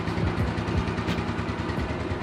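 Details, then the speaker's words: Old daily-commute scooter, warmed up after many parts replaced: quiet low even putter, no rattle or roughness, now smooth where it was rough before (hard to start cold); normal idle. "Jadi kalau ini suaranya benar-benar halus"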